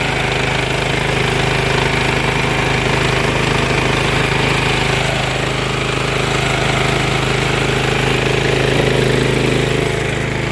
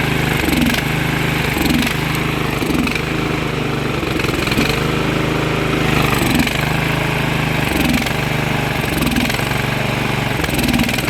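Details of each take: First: Briggs & Stratton Vanguard twin after carburetor work, running once its carb fuel solenoid got a full 12 volts: smooth, even, quick idle with a steady rapid beat and no misses; idle needs to come down. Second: Briggs & Stratton Vanguard engine after carburetor work, slightly low on oil: runs fairly steady with a slight periodic sag about every second; owner says fuel flow is poor because the fuel line is too long. Fuel starvation from overlong fuel line.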